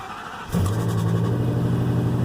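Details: Truck with 190 on the odometer, cold start: fires immediately into a low, loud idle with an uneven, stumbling beat and loud exhaust; intake tube visibly shaking; engine misfire.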